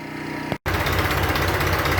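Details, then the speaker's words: Around-1966/67 John Deere 400 tractor after carburetor work following years sitting: brief dropout, then steady even low chug with no misses or knocks; healthy idle. "did a little work on the carburetor after it's sat for a few years and such and it's running and idling pretty healthy here"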